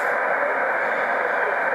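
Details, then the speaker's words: Receiver antenna rotor sweep from 36 degrees after fixing a loose BNC ground (crimp the connector, not the male end): steady even hiss with no crackle, rapid static drop-off or surges, noise level around 10–12; normal background noise, ground holds through full 360. "we're turning into the noise this is what it would normally be like in fact you can hear the noise coming up but this is normal we're not getting all that rapid static drop off or increase in noise"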